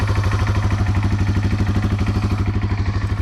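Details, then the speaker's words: Carbureted 2019 TW200 started cold on full choke with a little gas, in neutral: steady single-cylinder thump, about three beats a second, even and unbroken. It started easily. Normal cold idle on choke. "And that is literally how easy it is to start this in the cold."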